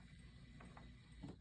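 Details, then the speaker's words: Techsew 202 fur sewing machine after a stand-alone SR-2 speed reducer pulley was installed: quiet, low, even mechanical rumble with soft ticks and no strain. Before the fix, the motor engaged before it had enough power to move the needle. Now it runs slowly and smoothly. "It is installed. And you can see how slow it'll run now."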